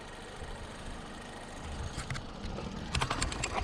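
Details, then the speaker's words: 1951 Korean War M38 army jeep, not run in years, started with starting fluid after points diagnosis and fuel pump reconnected: catches and runs unevenly, chuffs and pops rising in loudness, never settling to smooth idle; rough after long storage. "guys so there it is it runs"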